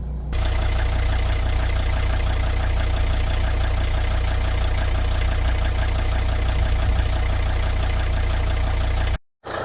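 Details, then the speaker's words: 2003 Volvo XC90 D5 diesel idling with replacement mount fitted: even tickover with steady low clatter, no lumpy shake or surging; idle vibration far more acceptable, owner suspects vacuum system not fully working. "I'm quite happy with how that feels at the moment. I say these are never the smoothest things in the world at idle anyway,"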